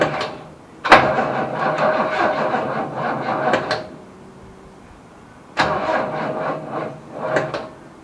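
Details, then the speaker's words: Holden HQ Ute, unstarted for about 7 years, old battery believed flat: two three-second starter bursts turn the engine over sluggishly and unevenly without firing. Slow crank, no start. "turns okay I think the battery flat that's the started but it turned"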